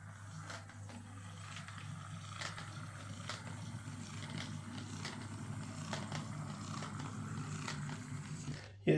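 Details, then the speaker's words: Hornby R2178B 0-6-2 Class N2 model locomotive, described as a noisy, inconsistent runner, on test run after overhaul: faint motor hum, growly and lurchy, with irregular light clicks about once a second in reverse. Possibly pickup noise; cause not yet found. "a wee bitty growly and a bit lurchy um and it's making a bit of a clicking sound in Reverse so I think we'll have to have another look at this"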